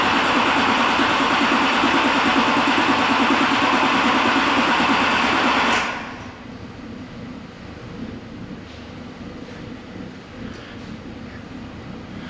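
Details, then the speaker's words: Non-starting V8 (eight cylinders) cranking during relative compression test via power and ground: about six seconds of steady, equal cranking beats; nice even compression across all eight cylinders, mechanical issue not suspected. "and once it collects enough data it's going to go ahead and analyze it and you can see here that we have nice even compression across all eight cylinders"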